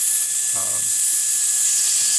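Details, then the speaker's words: Midwest Rhino XP low-speed air-driven motor during maintenance, set to forward, with air pushed through to blow out cleaner and lubricant for 30–60 seconds. A steady high airy hiss at an even pitch: the motor spins freely, normal running. "you'll hear the motor running and you want to do this for 30 to 60 seconds"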